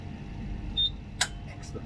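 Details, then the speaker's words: HPLC system being set up with a TMAE SEC column, switching the solvent line from buffer C to buffer A: one crisp valve click over a faint steady pump hum; the switch sounds normal. "So you hear the switch, and always use your senses to see that it's doing the right thing."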